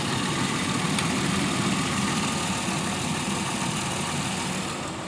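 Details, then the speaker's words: 2001 Pontiac Aztek GT, still cool, idling during radiator replacement coolant bleeding: even low rumble, quieter with no suction hiss since the PCV valve and elbow were replaced with a junkyard elbow; normal idle. "running a little bit quieter since the P PVC valve was replaced the elbow and put that junkyard elbow on there I don't hear the suction"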